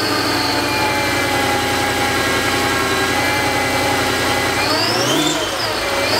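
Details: Mercedes E55 AMG supercharged V8 after installing a new water pump, fixed supercharger pulley and billet pulleys, which bring more boost: even idle under a clear high blower whine climbing sharply with revs. A slight idle rattle is normal with a fixed pulley.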